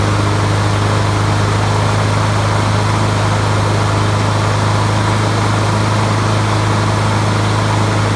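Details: 20-year-old Honda HRB215 mulcher/bagger mower that sounded like it ran on choke with the air filter fitted; after swapping in a used spare carburetor it runs with a steady, even low drone, no surging or misses. Normal running.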